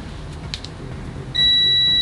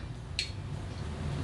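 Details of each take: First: KJ103 smart multimeter in continuity mode: loud, shrill steady beep, maximum output 74.5 dBA, that cuts out briefly then holds; the buzzer works but responds with about a two to three second delay. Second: KJ103 smart autoranging multimeter: one sharp, bright click over quiet room hum as the internal relay switches range after the probe is removed from a DC volts test; noticeably noisy relay.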